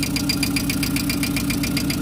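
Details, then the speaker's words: VW Gol engine idling with quick light ticking, about five to six a second; hydraulic lifters clattering until oil fills them, camshaft and its housing noted as not in good shape and knocked before. "só parar carregar os tuchos aí parar essa batidinha um pouquinho vai bater né"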